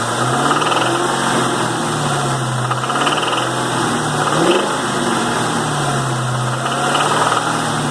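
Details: 2001 Cobra 4.6 4V V8, 78,600 miles: light, irregular knock over the steady engine note under light load; source not pinned down.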